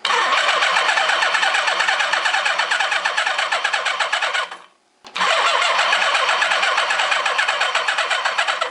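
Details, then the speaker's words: Suzuki GS850 motorcycle sat outside over 10 years: starter churns at about four turns a second with uneven, galloping compression beats and no firing; suspected low compression on one cylinder, weak spark, won't start. "It's turning over real hard though. Got a bit of gallop in it, so it sounds like I've got low compression on one of the 4 cylinders."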